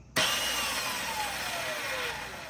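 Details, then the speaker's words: Razor E100 scooter 24V rear hub motor, rear wheel lifted, powered by a 20V DeWalt battery through a 12V automotive relay replacing the bad throttle controller; thin electric whine falling smoothly in pitch as the wheel spins freely; normal running. "All right, so it's working."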